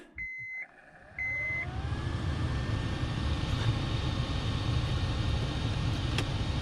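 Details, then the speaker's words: 2006-2014 Honda Ridgeline cabin blower motor just replaced, key on: a couple of chimes, then steady, even rush of air with no rattle, tick or squeal; sounds better, new blower working normally. "Sounds a little bit better."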